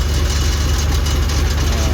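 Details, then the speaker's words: Isuzu 6HL1 diesel (205 hp) started before its cutting work is finished, with no muffler fitted: a deep, steady, even low idle with no knocks, misses or rattles. It idles very soft and smooth, a normal idle. "ยกออกนะครับเสียงนิ่มมากเลยขนาดไม่มีท่อพักแล้ว"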